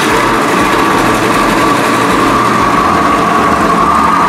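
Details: Italika WS-150 motorcycle brought in because it wouldn't start; once running it idles steadily with a high, rough mechanical rattle under the exhaust note, described as sounding horrible, indicating worn crankshaft main bearings with play.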